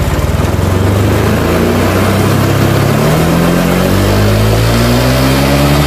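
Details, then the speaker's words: Honda Vario Techno 125 scooter, cold engine: revs up slowly and unevenly, struggling to take throttle, stalls and can't climb hills; fine once warm; fuel pressure good, idle air control valve suspected and checked. "Ini katanya khusus dingin aja seperti ini. Kalau dingin dia mati-matian, hidupnya mati-matian, terus mau nanjak ke atas tanjakan itu mendorong."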